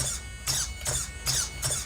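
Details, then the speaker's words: Serpent Cobra 1/8 racing truggy, unused for a few years, first power-up: short high-pitched steering servo whines about every 0.4 s. The steering seemed bound up and doesn't center straight, and the owner suspects the servo is on its way out. "might have been a bit binded up or something doesn't really straighten I think survey might be on its way out it's not straightening dead on"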